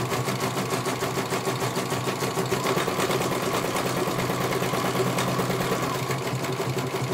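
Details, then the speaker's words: CNY computer embroidery machine in for service; at first its motor (dinamo) would not turn at all and the bobbin case was missing. Rapid, even needle chatter at a steady pace with no knocking or labouring as it finishes one colour; normal stitching, judged very good. "suaranya. Selesai satu warna. Kalau ini bagus sekali, langsung saya tutup saja ya."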